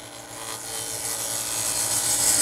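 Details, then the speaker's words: Wood lathe, inside-out turning, skew chisel cut with the turner rolling his body through the curve. A steady, even high hiss of clean shavings, no chatter or catching, taking a lot of wood off with no tear-out: smooth skew cut. "you can hear the difference but this is really smooth you can take a lot of wood off and still be smooth"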